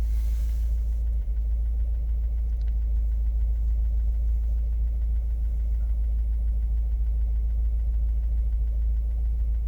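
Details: 2015 Subaru WRX base, 40k miles, warm idle after sitting 4 hours: steady light tap three or four a second over low even hum; no codes on Accessport, oil level fine, owner suspects injectors or bad fuel, rod knock feared, unconfirmed.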